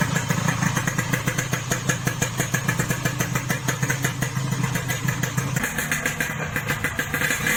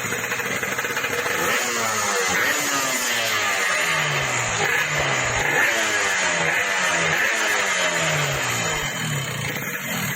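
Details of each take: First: Yamaha RX King two-stroke after reboring, which cured excessive piston clearance and the previous harsh rattle: even, crisp popping idle with a steady rhythm and no rattling; smoother, normal idle. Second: Yamaha RX King two-stroke, owner's complaint that power is fine but the engine rattles: repeated rev blips with a harsh metallic rattle on each rev; traced to the clutch housing (puringan).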